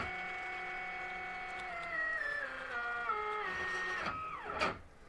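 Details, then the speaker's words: DIY Faraday coil winder with geared stepper spindle on cheap GRBL v1.1 board and driver, spindle run fast while X axis moves slowly; whining tone drops, sweeps and collapses into rough buzz, spindle stepper stalls, blamed on spindle and motor driver. "you saw there is a he'll stall in my my-y spindle and that's a this is a problem with this spindle it's also a problem with the motor driver"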